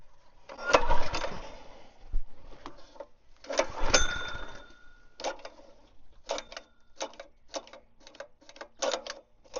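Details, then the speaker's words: Engine started with everything left on from the last time: bursts of cranking and short churning pulls that never catch, engine turns but won't fire, owner tries choking it, cause unconfirmed. "Guess I better choke it. That's got problem. I don't like that."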